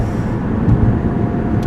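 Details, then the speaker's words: Toyota RAV4 driving after transmission swap, heading onto the highway; steady low road and engine rumble, even, with no knock, whine or flapping; car running great, now shifting properly. "the cars running great so let's get to the highway and I'll hop on the highway so we can drive"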